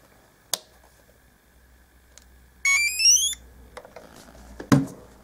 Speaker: Transmitter on. You hear the beep. That's the sound unit saying it's awake.